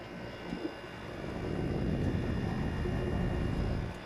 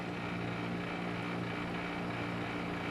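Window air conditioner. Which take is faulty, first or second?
second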